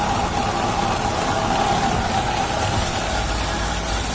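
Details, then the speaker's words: Old car with AC not cooling, engine previously removed, idling with AC on: faint uneven whirring hum, compressor sounds somewhat rough; fan motor not running and refrigerant pressure low; rough AC compressor noise. "I make satu persatu VCD kangoroo teman-temannya bunyinya agak kasar dikit kompresornya banget"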